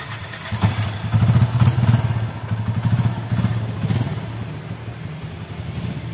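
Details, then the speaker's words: Yamaha Bison motorcycle that stumbled, backfired and blew black smoke; after the carburetor air screw was turned fully in the backfiring stopped though it sounded rich. Low, steady thumping idle around four beats a second, no misses or popping: idle now fine, but still poor when riding. "kalau stasioner sudah oke tapi kalau buat lari masih belum"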